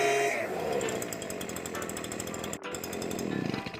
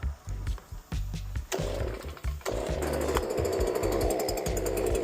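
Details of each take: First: STIHL BG86 hand blower after the clogged screen was cleared: crisp two-stroke buzz revving cleanly and holding a steady high pitch, sounding much better, normal revving. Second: STIHL BG86 hand blower that starts and runs but won't rev up or make power: a few pull-start tugs, then a flat low speed that never climbs, caused by a completely clogged spark arrester screen.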